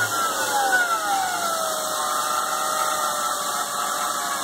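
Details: BMW E36 M3 engine running with a clear high whine falling in pitch as revs drop; alternator replacement didn't help, replacing main tensioner and pulley cured it, the removed idler pulley bearing spun rough by hand.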